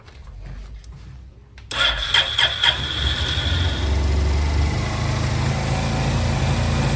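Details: Honda Silver Wing scooter that would not start, after fitting new spark plugs: short crank, engine catches at once and settles into a steady, even run with a quick rev; normal engine start.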